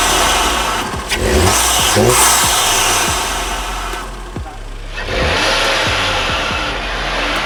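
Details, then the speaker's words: Audi TT with a newly fitted performance intake, first start and revs. It runs evenly, with an added turbo intake whoosh as revs rise; it sounds way better and healthy. "That is exactly what I wanted. The turbo noise is back. We're back. Let's go. Yeah, that sounds way better."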